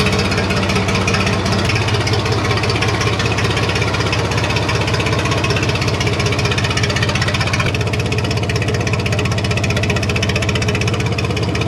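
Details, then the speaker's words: IH International 484 tractor, D179 three-cylinder diesel, first start after cylinder head reinstall with new exhaust valves and head gasket, straight pipe with no muffler: loud uneven idle clatter about 160 beats a minute with rattle; owner suspects fan hitting shroud, unconfirmed. "so loud straight pipe it's hard to hear the engine like the fan might be hitting the shroud here"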